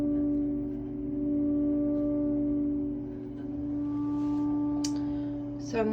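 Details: Triangle Tube Prestige boiler after a new valve was installed: a steady pure ringing tone near 250 Hz with faint overtones, swelling and fading slowly; the source is not yet identified.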